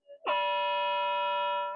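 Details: Modified Minelab GP 3500 pulse induction detector with raised sensitivity, started at highest frequency so the phase lock loop holds: clean steady mid-pitched tone without warbling, then sliding smoothly down; normal steady oscillator tone, stays locked.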